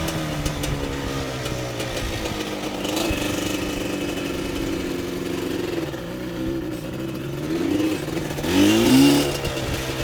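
A small engine revs up and down with an odd wavering tone that climbs with speed near the end; something's off, cause unclear.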